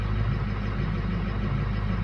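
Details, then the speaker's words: 2006 Lariat diesel truck at 146,000 miles on a cold start with compensation shut off: deep, steady idle with a lumpy, uneven beat. Cylinders two and four are weak, so weak injectors are causing a misfire. "there you go number two and number four just turned to crap"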